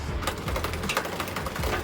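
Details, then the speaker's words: Santa Cruz Tallboy with a goat link after converting from factory SRAM 1x11: light, rapid, irregular ticking while pedalling as the guide pulley chatters on the cassette. Cause is the B-tension screw backed all the way out; screwing it in until it engages stopped the chatter. "i see it's chatter and that's because i left the beast through when i had it back all the way out"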